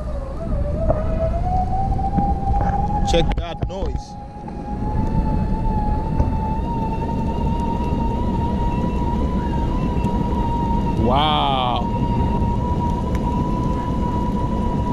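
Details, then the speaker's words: DIY electric skateboard with hub motors, fastest mode, climbing a steep hill: steady high whine rising slightly then holding; normal hub motor noise under heavy load. "gets pretty noisy, but yep, I'm making uphill all the way."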